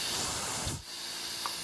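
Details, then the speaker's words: 1964 Powerglide automatic being overhauled at home, air pressure check of the low band servo using a homemade pump: sharp air hiss, then a brief dip as the servo strokes, with no leak-down. The servo holds properly. "our ever important pressure check this one's pretty easy it's got to worry about three elements we've already tested the back one which is the reverse and an earlier test you know that works out for the serval"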